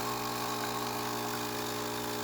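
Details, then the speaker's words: Saeco Intelia 5009b espresso machine after service: steady droning hum with rough buzzy edge, no pitch change, coming from the brew unit, which needs deep cleaning and new O-rings; brewing otherwise good with excellent crema. "The noise that you hear right over here is from the brew unit."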